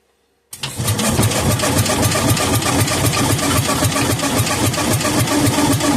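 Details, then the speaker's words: Kohler K241 10 hp engine that sat for years, cylinder loaded with two-cycle fuel: loud, even cranking at about four turns a second that never catches. No spark because the plug wire was left disconnected; the plug may also be wet. "may have uh I may have wet the plug ouch oh silly me I forgot to hook the uh plug wire back up"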